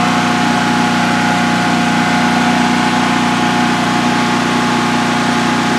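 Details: DuroMax XP15000HX generator on propane, newly installed in a shed, second start, exhaust fan off, five-minute test run: smooth even idle hum, steady low drone, no misses, knocks or surging; running well, no issues.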